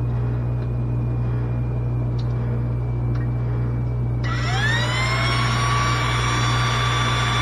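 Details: New SainSmart GS-775M spindle (rated 20,000 RPM at 24V) on a Genmitsu 3018 Pro, rewired and started and then taken to 100%: a quiet hum, then a clean whine rising smoothly and settling high and even; it sounds healthy.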